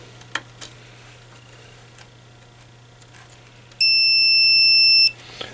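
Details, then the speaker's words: Kenwood TS-520SE ham transceiver under repair, buzzing out from the VFO jack pins to the RIT switch: one steady high multimeter beep of about a second in a quiet room, showing continuity, so that contact conducts. "Yeah, we got continuity there. So, I'm going come up to this red center pin on the RIT switch and we have continuity there."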